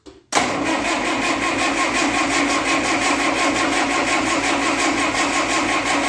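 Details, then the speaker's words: 1958 Oliver 550 diesel tractor, in neutral after reassembly, cranking to push fuel up the injector lines. The starter churns at a steady beat of about three per second with no firing: only a faint mist of fuel reaching the injectors, not enough to fire. "I was starting to get a little tiny bit of mist coming out here which means there's some fuel getting to the injectors now but not enough to fire it"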